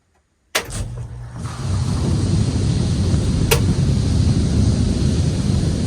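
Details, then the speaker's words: Newly installed Goulds well pump and jet pump switched on for the first time: sharp click, then steady low buzzing hum with rushing water flow, no leaks, good flow rate; normal pump running. "hear that buzzing that is water flowing baby and no leaks so far at least the plumbing coming out of the well well that sounds like a pretty good uh flow rate too"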